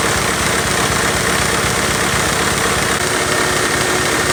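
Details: Lego vacuum-driven V8 model engine after installing new lifters: rapid uneven knocking, about four per second, over steady air rush; engine knocking, cause unconfirmed.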